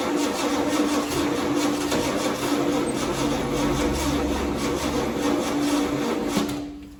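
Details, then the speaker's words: 1969 Ford Galaxie XL GT convertible, 429 with four-speed manual, first start of project: steady cranking with starter whine for about seven seconds but never catches; crank, no start, spark questioned though new correct coil fitted. "No, it's not happy. You mean it's not getting a spark?"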